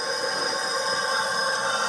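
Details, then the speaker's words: 2006 Suzuki Forenza after a timing belt breakage, cylinder 3 leak-down at TDC on compression, about 100 psi in and about 10 psi held, no air at the exhaust pipe. A steady hiss; the cylinder won't hold pressure, leaking past at least one bent intake valve. "vals doesn't sound quite as loud but of course there's a lot of leakage"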